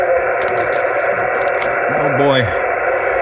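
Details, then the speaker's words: Cheap switching adapter that powered a charger, plugged in at the radio shack: loud, even hiss buries the band, noise rising to about 20 over S9 on 20 m (30 over on 160 m) from S6 baseline; RF interference from switching power adapter. "I plug in this uh this cheap adapter that was uh powering my Val Fang charger plug it in it even gets"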